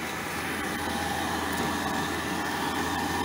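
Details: Diesel air heater restarted after it stopped with E08 (out of fuel) code though fuelled, with a smoking battery: steady roaring burner with faint uneven pulses; owner suspects leaves/debris; rough running with smoky combustion.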